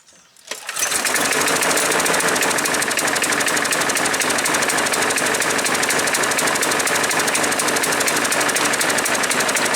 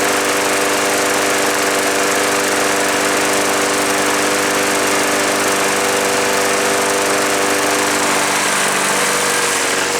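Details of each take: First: Craftsman 6.75 Platinum 21-inch push mower with automatic choke, no primer bulb, full oil and fresh gas, black smoke reported: runs loud and rough at about three pulses a second; owner suspects choke sticking on, flooding engine. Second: Craftsman push mower small single-cylinder engine running after the auto choke was inspected and repaired, choke tab left unadjusted; steady even buzzing for ten seconds with no stumbling or surging; normal running.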